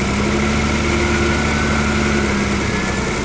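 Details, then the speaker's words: BMW E30 six-cylinder, first start after years of sitting, with injector cleaner: shaky, buzzing idle with uneven firing that sounds really rough; rough idle. "and start guys I can't believe the car started I turned it off because it sounds really bad it sounds really rough"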